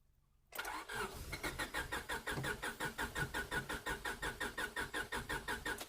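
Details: 1998 Honda Civic EX, D16Y8 five-speed: even starter cranking at about three compression beats a second that never catches; crank no start, owner thinks it needs gas.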